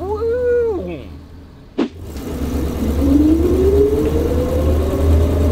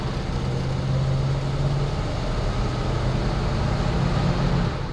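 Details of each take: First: AMC Ambassador with automatic transmission, pulling away from a stop: shifts into second fine, then the engine flares up briefly before clunking into third. Slipping on the 2-3 upshift, suspected from running low on fluid due to a leak. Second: AMC Ambassador just after swapping its bad transmission for a used Chrysler TorqueFlite from a 1974 Ambassador; accelerating through the gears with clean rev drops, firm shift shock and no slipping into third: normal automatic transmission shifts.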